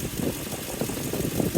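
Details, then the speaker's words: 2003 Toyota Tundra 4.7 V8 2UZ-FE after timing belt and water pump replacement, heater not blowing: idle with a wavering whoa-whoa whir pulsing a few times a second; owner suspects a pulley, possibly unrelated. "It's almost like a some like a pulley or something like whoa whoa whoa whoa whoa. Could be totally unrelated though."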